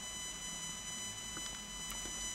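Quiet, steady high-pitched whine made of several stacked tones, with a few faint clicks; unexplained noise coming through the tape recorder playback.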